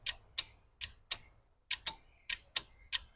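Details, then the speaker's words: 1967 Lincoln new AC compressor off the car, clutch bench-tested with 12-volt power: crisp dry clicks, about three a second, no motor running. The clutch plate pulls in cleanly; normal clutch engagement. "You'll see it move and you'll hear it click. You may not hear it, but you'll see it. See that, how it moves? So I know it's engaging."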